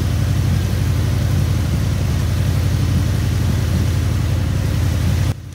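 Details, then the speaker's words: Honda VF750 Magna four-carb V4 at idle, sat 10 months after full carb rebuild: turning one carb's mixture screw fully in makes the steady low idle sag, showing that carb's idle circuit works, unlike a carb where nothing changed. "turn it all the way up in there nothing happened it sounds identical to the way that it has been sounding the whole time it's been idling"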